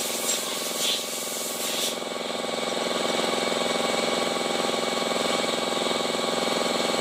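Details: Honda i-DSI at idle: steady, fairly quick gritty churn over the engine hum, roughly three or four pulses a second, from inside the gearbox, with vibration and delayed shifting reported.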